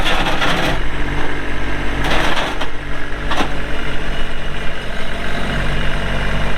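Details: 2022 Kubota LX2610SU 4WD hydrostatic compact tractor with LA535 front loader, 138 hours, running; steady, even low diesel rumble with a couple of brief handling clatters. Normal running.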